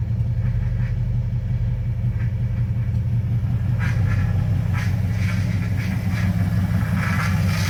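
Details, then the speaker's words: LS-swapped Chevrolet S10, first start with the belt on: loud V8 idles with a deep, steady, even rumble, no knocks or squeals; alternator charging per MSD box, idle perhaps a little low. "Well, she's running with a belt on it. It is. Yeah, you can see alternator's charging according to the MSD box. You can kind of see where we're idling at here. Maybe a little low on the idle."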